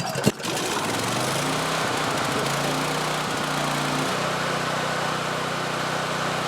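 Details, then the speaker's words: Free used generator, said to be broken, old fuel, on choke, dead battery so pull-started: fires on first pull and settles into steady, even drone with no knocks or misses; engine runs healthy. "god damn started up on the first freaking pull are you kidding me"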